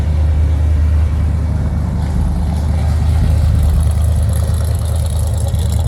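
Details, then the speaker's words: 1965 Chevrolet Impala convertible with new Chevrolet 350 crate V8 and Muncie 4-speed, cold start with choke set: deep, steady fast choke idle, smooth and even, no knocks or stumbles; healthy. "Let's go ahead and do a cold start on the 65 Impala. Set the choke."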